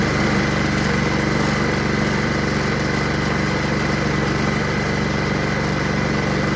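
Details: Honda HRR216 Harmony II Quadra Cut mower rebuilt from two broken ones, restarting by itself with self-propulsion working; small single-cylinder runs steady and even at constant pitch, no misses, knocks or rattles; normal running.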